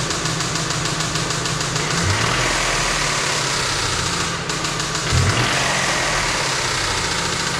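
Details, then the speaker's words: 2008 Nissan Frontier manual 4x4 with 222k miles: crunchy, uneven top-end rattling knock at idle that gets busier with revs and varies. The owner suspects a broken or stuck cam rubbing, not confirmed. "crunchy very crunchy right okay so just off of what i heard gather your thoughts i think a cam's broken i think it's stuck but it kind of moves sometimes based on like the variation of the noise"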